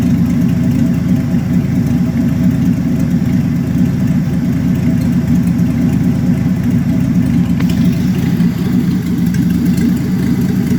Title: Impala 1966 l6 250cid rough idle